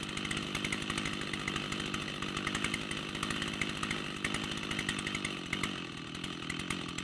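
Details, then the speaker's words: Rebuilt Stihl 088 chainsaw, buzzy two-stroke idle fluctuating; merely pressing the trigger without opening throttle makes RPM climb and lean out, sign of air leak through worn throttle shaft bore in carburetor. "Notice, as soon as I touch that trigger—and I'm not opening the throttle here, I'm simply applying pressure—the engine RPM increases and it leans out as well."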